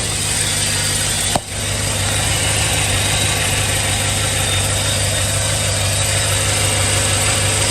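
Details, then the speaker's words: 2007 Chevy Suburban 6.0 LS V8, cold start after a week sitting, new flywheel fitted after earlier rear main seal job: smooth even cold idle, no clicking or ticking, super quiet, good oil pressure. "great oil pressure of course we going to be cold super quiet"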